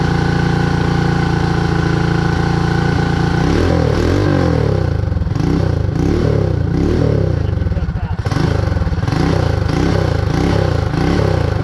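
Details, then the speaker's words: Predator 224 Max Performance single-cylinder minibike revs up and drops repeatedly, never holding idle. The carburetor leaks fuel, including from the top, and a stuck float or needle is suspected. "we accomplished that it's running it's not idling got a little bit of work to do I guess on the carburetor"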